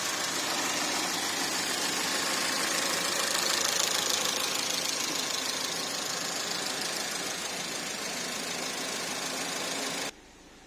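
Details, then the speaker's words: Porsche Macan 2.0L turbo (shared VW/Audi engine) after cam cover reseal, timing checked at 124 mm (spec 124–127): even steady idle with fine high-pitched tick, no knocking or hunting, no cluster faults; normal idle. "Everything's normal. Alright, everything's back to normal, so I'm really happy with this job here."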